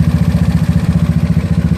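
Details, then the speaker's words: GY6 scooter engine with OKO PWK 30mm carburetor being tuned, idle/throttle screw turned clockwise to tighten after richening the mixture: even single-cylinder thumping, steady without dying or racing; normal idle. "sounds pretty good it doesn't seem like it's to dying it doesn't seem like you raving"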